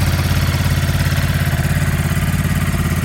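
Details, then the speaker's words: New 2023 Ducati Monster Plus 937 twin, just started cold with condensation from exhaust: fast, even low throb, steady with no clatter; normal cold high idle settling down. "this bike up for just a second we're gonna let it kind of high idle let the idle come down a little bit"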